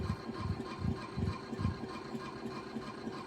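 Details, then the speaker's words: Tele-Tone record player running: heavy low rumble pulsing two to three times a second as the platter turns, from a dented idler wheel thumping the drive; owner says it may have been loud even before the dent. "how noisy this thing is crazy noise so it's a teletone it i' have called it like a u a uh uh a Chevy 350 tone or something you know this thing is loud"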